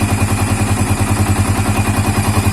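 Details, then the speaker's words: Yamaha Vixion (old) 4-stroke motorcycle at hot idle after 10–15 minutes of running: a thin whistle rides over the chugging idle and vanishes at 2000–3000 rpm. It is loudest at the radiator water pump, and a leaking pump seal is suspected. "Oke kendala keduanya di kalau mesin panas stasioner bunyi ingin Mesir langsung ya jadi seperti bersiul tapi kondisi cuman gas rendah aja"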